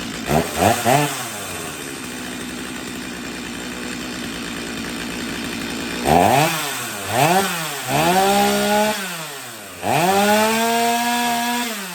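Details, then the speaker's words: Stihl MS250 chainsaw, first start before carb tuning, air filter dirty with fines: sharp revs climb to a clean, thin scream at full throttle with no four-stroking burble; running lean. "all right so the saw is running lean could you tell uh you should be able to hear a pop in the Co in the uh in the engine and whenever I took it to Full Throttle we didn't hear a four stroke so she's definitely lean"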